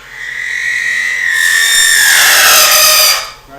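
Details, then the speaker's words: Wood lathe chatter tool held against spinning wood while making spinning tops: shrill buzzing screech about two seconds as the tool deliberately vibrates, indenting fibres into a pattern; faster speed gives tighter pattern, slower more open. "so all the sound and nobody likes to hear when they're turning is the sound that you want to hear when you use your chat I the faster you go the tighter the pattern the slower you go the more open"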